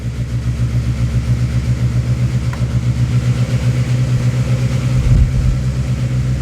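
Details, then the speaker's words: Honda Civic SOHC D16Z6 turbo build with locked VTEC, first fire-up after valve adjustment; runs rough with fast, sharp ticking over the low rumble because two valve adjusters had backed almost completely off. Valve lash tapping from loose adjusters. "I had two that were had backs almost completely off so that's why the valve noise was so nasty when it fired up"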